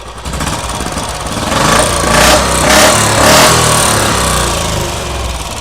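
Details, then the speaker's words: Royal Enfield single after a repair for engine knocking ("kat-kat") noise: steady, even idle thump with no ticking or clatter; the knocking noise is now gone and the engine idles normally. "थी कोई आवाज नहीं आ रही बिल्कुल भी आवाज हो गई एकदम गायब साइलेंट बाय साइलेंट"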